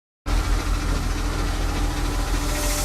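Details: BMW E36 with M52B20 engine, cold: dull, busy rattle over a heavy low rumble that changes with rpm and fades or stops when warm; cause unknown.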